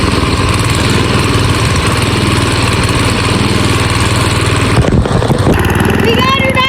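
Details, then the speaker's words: Old AMF snowblower single-cylinder engine revived after sitting over 20 years, running after being started with starting fluid: steady, even chugging holding speed without stumbling or surging; running properly. "She's running pretty good. All right. Well, it runs good."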